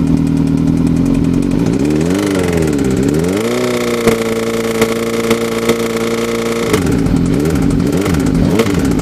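Engine revs up and settles with a harsh clatter and occasional sharp clacks over the exhaust; the noise is abnormal but its cause is unclear.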